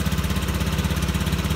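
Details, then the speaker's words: Fuel-injected motorcycle started after ECU reset, no fault codes shown: fast, even low thumping idle with steady beat, no misses; runs normal again. Note: dirty throttle body or filter can still limit results. "kita Nyalakan motornya Nah sudah seperti normal"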